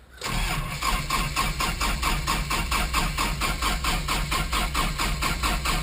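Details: Rebuilt 4-cylinder non-turbo engine, first start after rebuild, in neutral with fuel pressure up; two cylinders read compression above the 170 spec: starter cranks at an even rhythm for several seconds but never fires; no-start, distributor timing suspected.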